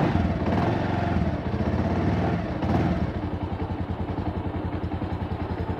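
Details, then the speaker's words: Bajaj Avenger Cruise 220 with 2,400 km, which sat two months without fuel: after a few revs it settles into an even, steady idle with no misses. The main jet and atomizer are suspected clogged, causing uneven running under acceleration. "se puede escuchar qué una moto en ralentí regula bien no tiene problema"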